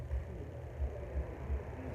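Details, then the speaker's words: Arno fan after capacitor replacement, motor cleaning and shaft lubrication, at lowest speed: quiet soft hum with gentle slow pulsing, earlier noise gone, no rattle or scrape; normal low-speed running. "deixa eu vou abaixar ele até mais um pouquinho aqui para ver é o barulho parou tá vendo ó o barulho parou"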